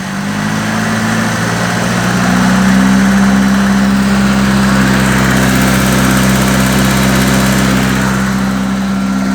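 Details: Isuzu 4FG1 2.4 L inline-four at idle after valve clearance set to 0.25 mm intake, 0.35 mm exhaust; light regular tick about four per second over engine drone, worse than before adjustment; valve train ticking, cause unclear.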